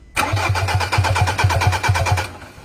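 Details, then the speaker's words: Ford Ranger that lost power and was towed in. Steady starter cranking at about five compression pulses a second for two seconds; the engine seems to want to run but never catches. Cranks, no start; fuel spray later checked strong, so fuel lines are fine. "Yan, so kapag ini-start natin ay parang gusto niyang umandar pero hindi niya kayang tumuloy. So ganyan lang yung kaya niya."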